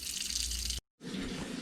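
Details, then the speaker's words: Lochinvar Shield SNR 126-065 commercial water heater: steady hiss and spatter of water as the union above the circulating pump leaks badly. The water runs over the pump and shorts it out. "as you can see the union above the circulating pump is leaking badly and what ends up being is that it leaks over this pump it shorts it out"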